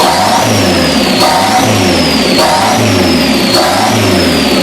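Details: Custom-built engine in 1987 Dodge Daytona Shelby Z, first start: revs surge about once a second with high whistle, massive vacuum leak from two unplugged holes in the intake plenum.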